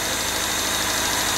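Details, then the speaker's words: Newly rebuilt engine, first start during break-in after pre-lubrication, run at idle to warm up: a smooth, even idle with a steady hum and no knocks, ticks or misses. Normal idle; a valve adjustment is expected later. "all right no noise no nothing no drama I like it like it a lot I'm just going to let it run and normalize for a little bit"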